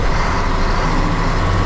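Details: Truck hauling manure trailer after radiator repair, almost 2 hours running with no coolant loss; earlier fan noise gone after solder jammed in the fan was removed. Even diesel drone under way with road noise, no rattle or scraping from fan area; normal running.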